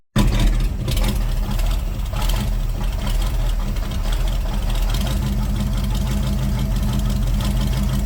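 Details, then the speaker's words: C3 Corvette carbureted V8 idling after float levels were adjusted during the carb tune: deep, even burble at steady idle, no stumbles, hunting or misfires; owner says it's running pretty good; normal idle. "what else would you do to this you know I mean right now it's sounds like it's running pretty good"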